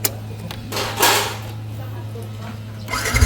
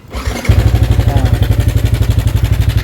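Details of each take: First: Sniper 155 at 2,568 km, first start after replacing the short, worn automatic cam chain tensioner with a manual tensioner: engine fires and settles into an even, quiet idle with no chain rattle; normal idle after repair. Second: Sniper 155 motorcycle at 2,568 km, idling before repair: fast steady metallic chatter about four per second over the idle; cam chain tensioner noise, tensioner to be replaced and rechecked after.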